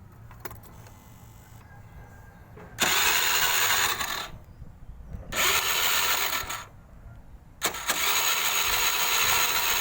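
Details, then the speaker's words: Honda Click scooter cranked on the electric starter after earlier needing the kick-start for 2–3 days: four bursts of high starter whirr, engine never catches; the ordinary spark plug gives no spark, to be sanded or replaced (iridium suggested). "หัวเทียนไม่สปารเลยนะครับเอากระดาษทรายขัดนะครับหรือว่าเปลี่ยนใหม่ก็ได้นะครับ"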